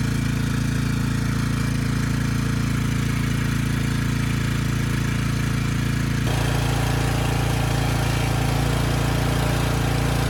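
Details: Briggs & Stratton Storm Responder generator engine 21T212, previously stuck at TDC with fuel-flooded crankcase, governor spring backed off: single cylinder chugs slowly and evenly at low speed, no knocks or misses; initial smoke burned off, normal running.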